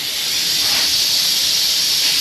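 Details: Old Ford truck running after restart: loud, steady high hiss of coolant spraying from several radiator pinholes drowns out the engine. None seen in the fins; leaks are to be repaired with solder.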